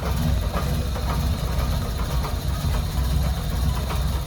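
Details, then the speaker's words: 2010 Chevy Monza 1.6 setting MAP code P0106 and TPS codes P0122/P1122, heard at the exhaust: the idle stumbles and pulses unevenly with irregular misses. Unstable idle traced to a faulty throttle position sensor. "un auto más tenemos un Chevy 2010 1.6 que tra una falla muy rara Mira cómo hace y se escucha en el escape de esta manera"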